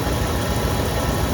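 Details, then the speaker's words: 27-year-old Dodge Ram 2500 at idle after repairing an exhaust manifold leak at cylinder 6 by drilling, welding and extracting. Steady, even low rumble with no puffing or ticking: no exhaust leaks, normal idle. "No exhaust leaks whatsoever. Very excited by this."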